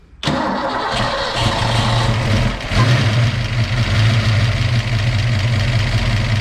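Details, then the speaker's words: First start after installing an Anderson B21 camshaft. Cranks, catches and settles to a lumpy, lazy idle that stumbles and dips. Ignition timing is retarded with the distributor a tooth off. "All right, we don't have enough timing, so we're a tooth off."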